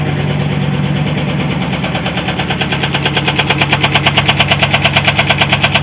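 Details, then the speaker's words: 2010 GMC Sierra 6.2L V8 at 179,000 miles, run with no muffler: loud idle with a regular top-end knock about twice a second and an uneven, missing beat. It is a knock plus misfire, with the cause not yet confirmed. "okay i'm pretty sure you heard that knocking noise in it it sounds like it's up from the top end it's also missing out"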